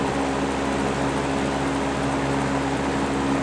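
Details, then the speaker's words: GE W 25 box fan after repair of worn single bearing that let rotor hit stator, running on high: steady even mid-pitched hum, no rattle or wobble, slight normal motor vibration; rotor no longer hitting. "it sounds so much nicer that sounds great still got a little bit of vibration just from the motor running but that's normal"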